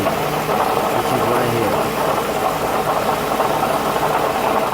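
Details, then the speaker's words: 2008 Toyota Highlander at idle with a nasty continuous rattling chatter from the front, traced by stethoscope to the belt tensioner pulley; belt tensioner pulley rattle. "what's up YouTube I got a nasty noise rattling noise coming from my 2008 Toyota Highlander I'm gonna start the car so hopefully you guys could hear it running"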